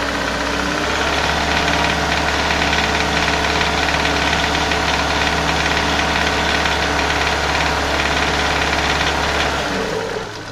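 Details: Renault Scenic 2/Megane 2 K4M petrol engine, cam phaser and its solenoid locked closed: steady metallic knock at three to four beats a second when throttle is held at 2000-2500 rpm, vanishing on lifting off or pressing further; gone on flush oil, returned with 5W40.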